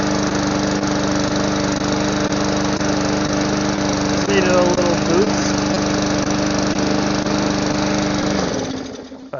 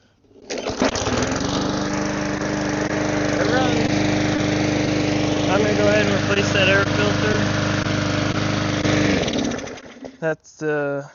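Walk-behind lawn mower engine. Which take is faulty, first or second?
first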